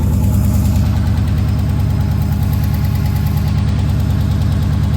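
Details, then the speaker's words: Dodge/Chrysler 6.4L or 6.2L supercharged Mopar V8 after oil pan gasket replacement: steady idle with a light regular tick about twice a second over the rumble; owner judges it a small exhaust leak, no oil leaks found. "it sounds like an exhaust leak that's what it is okay"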